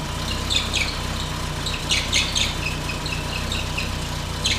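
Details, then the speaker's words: Mk1 Golf GTI alternator makes sharp, high chirps in uneven bursts over a steady idle. Its warning light goes out but it produces no voltage, confirming the alternator is worn out. "nothing there the alternative chirping badly right well the light goes out so the alternate got excited but didn't produce any voltage instead just made an absolute racket"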